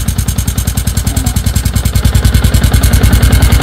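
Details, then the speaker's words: Yamaha Sniper 150 V2 with aftermarket TRC pipe: loud thumping idle with a light tinny tick on every firing pulse; the sensor plug deep in a corner of the pipe was not tightened and is rattling loose. "Ayan o. Ayan o. Luwag siya o, kumakalag."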